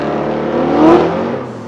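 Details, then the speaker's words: Supra drag pass, launched around 2000 rpm: in second and again in third, revs surge to the limiter and bounce as boost comes in, not tire spin; strong clutch smell afterward. Clutch slip. "that's not the tires breaking loose that was completely the clutch so i kind of i let off grab the third try again and as soon as it makes boost it's just on the limiter again"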